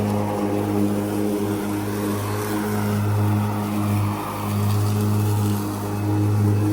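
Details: Ryobi ZR3 80V 42-inch brushless zero-turn mower on dual 14Ah batteries, cutting tall grass after blades bogged when driving too fast and the driver slowed. An even low motor hum with a steady mid tone that dips slightly under load; no knocks or grinding.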